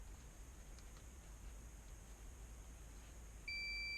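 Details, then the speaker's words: Nissan Altima airbag warning light, continuity test on driver airbag harness wire 28 (lime green, positive) to wire 30 (yellow, ground): near-silence then steady high meter beep confirming the two wires are shorted. "So this is the evidence that is shortening between the 28 and 30."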